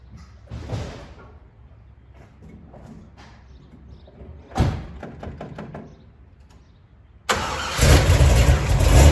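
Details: 1970 Chevy Nova big-block Chevy V8 started after replacing the failed, flattened water outlet O-ring with a paper gasket and RTV to cure a slow coolant leak; clean crank into deep steady idle, no misses, no leaks seen.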